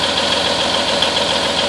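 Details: M931 cold start at about 25 degrees after sitting unused for 3 weeks, with about 100 lb of oil and air pressure. Steady, even idle with a firm regular beat and a hiss on top, no misses or stumbles; normal idle.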